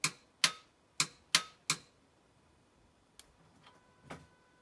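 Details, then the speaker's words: Ford Fiesta ST150 after gearbox replacement: five sharp dry clicks, two or three a second, then quiet with no cranking; the starter clicks but the engine won't turn or start. Cause unconfirmed, suspected low battery power. "Never mind, car wouldn't start. Don't know what it was, but it's too late now. We can't go out there again and start messing with it again. You can hear like the starter motor clicking."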